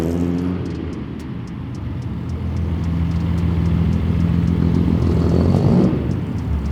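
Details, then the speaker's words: Datsun 280Z during repair attempts: low idle rumble that swells and sags slightly over seconds, now holding closer to target idle but still wavering too much; cause not yet found, owner hopes it will settle. "So it's holding closer to the idle than it's supposed to. As you can hear, it sounds kind of okay. It sounds like a normal idle, but it's still wavering a little too much, I think."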